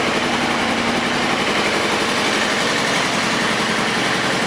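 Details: 2000 Kawasaki ZR-7 750cc four-stroke, recently tuned up with new plugs and wires, carbs cleaned, aftermarket exhaust: steady even engine hum settling into smooth idle, no misses, knocks or rattles; normal running and idle.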